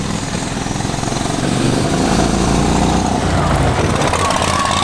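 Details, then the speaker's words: Lawn-mower-engine-powered VW Beetle with newly added turbocharger, driving under load: loud uneven lumpy running with high turbo whistle, as if on one and a half cylinders; owner thinks it may need rejetting. "So, you can hear the turbo whistling a bunch, but it sounds like it's running on one and a half cylinders."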